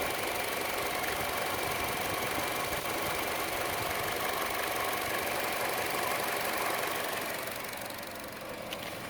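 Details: Chevrolet Cruze petrol engine at idle: quick regular tick, about three a second, louder than the normal engine tick and more noticeable on the belt side; cause unknown.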